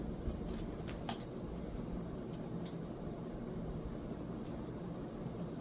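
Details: Vintage Italian Razzetti 46-inch porcelain-housing ceiling fan on high, about 250 rpm, one blade arm slightly bent: smooth steady rush of air with no ticking, rubbing or wobble; normal running.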